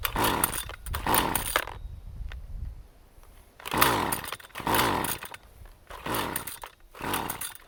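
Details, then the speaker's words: Husqvarna 128CD two-stroke trimmer after a new ignition coil was fitted and the carb settings were reset to their initial positions: ragged rev surges dropping off between bursts, with pops on the overrun; backfiring and rough running, possibly worse than before. "There's a backfire."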